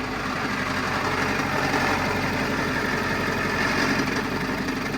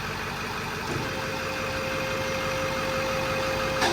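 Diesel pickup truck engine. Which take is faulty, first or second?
first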